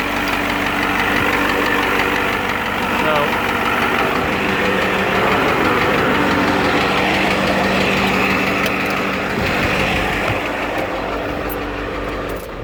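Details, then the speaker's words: 7.3 IDI turbo diesel at warm idle with new injection pump and injectors, single-mass flywheel chatter also audible: sharp ticking knock about four per second, traced by stethoscope to cylinder 7, going away when the number 7 injector line is cracked. "But you'll see when I crack the number 7 injector line that the knock goes away. So you can hear it tick, tick, tick, tick, tick."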